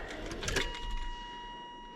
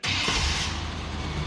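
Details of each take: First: 1998 GMC OBS pickup, V6, fresh battery, full tank; key cycled with chimes but no fuel pump hum, then even starter cranking without catching; suspected failed in-tank fuel pump, relay and fuse checked good. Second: 1998 GMC OBS pickup, V6, after replacing the in-tank fuel pump on a truck that sat a long time; pump seemingly heard running, engine catches quickly and settles into steady even running; normal start, fixed.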